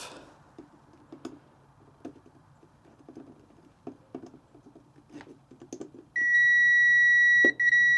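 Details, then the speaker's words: 2004 Hustler zero-turn mower with no spark, key off, fuses (25, 5, 10) tested with a meter: quiet handling, then a steady high beep of about a second and a half. Continuity present; the fuse is good. "So, that one's good. Do I really have No. That one's good."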